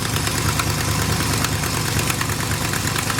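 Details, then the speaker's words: Old big-block Chevy squarebody truck, neglected with possibly dragging front brakes, idling: loose ticking puff about three a second over the rumble; exhaust leak visibly coming out; exhaust manifold leak. "Obviously has an exhaust leak."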